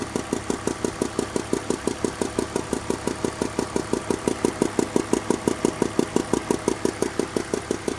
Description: My 2002 BMW 320i has been making this ticking sound. The sound appears to come from cylinders 3 and 4.